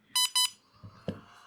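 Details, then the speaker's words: iSDT Q6 Pro charger powered from an 11.1 V pack: two short high beeps, a brief fan whine and faint clicks, then battery-low warning flagging low input voltage. "I don't know if you could hear the fan whine quickly and then it shows battery low was I think I have set it to 12 volts"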